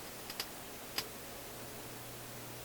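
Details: Philips console stereo receiver output: three sharp, irregular pops within a second over a quiet steady hum. On the scope the pops show clearly in the power supply, at the junction of the 120 ohm and 680 ohm resistors. Source otherwise unknown.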